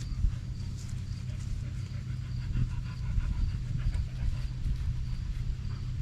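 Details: 1991 Chevy Silverado C1500 on a cold start, microphone at the rear by the factory duals-out-of-muffler exhaust: steady, even, low burble at idle with no knock or miss. The owner says it doesn't smoke or knock.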